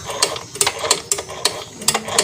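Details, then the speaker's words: Yamaha Fino 125 scooter: sharp metallic ticks about three a second as the engine is turned by hand, coming from the engine front not the CVT/rear. "jadi suara itu disebabkan dari area depan sini yaitu di area engine nya bukan area belakang sini"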